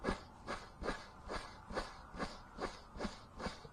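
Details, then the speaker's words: Ford Escort GT during water-pump replacement: a dry timing belt tensioner/idler pulley bearing, spun by hand, gives a gritty, rasping whir pulsing about twice a second. A new one is silent. "y'all hear that that bearing is dry as I don't know what very dry very dry"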